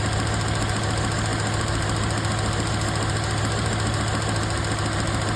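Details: Toyota truck running rough: steady idle with an uneven, stumbling low thump, a misfire on cylinder 2 from a worn ignition wire; spark plugs, wires and coil boots replaced in an overdue tune-up.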